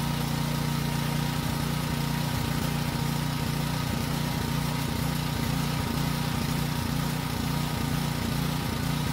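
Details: Small single-cylinder generator that ran only on choke: steady even drone under load, no hunting or surging; normal running under load.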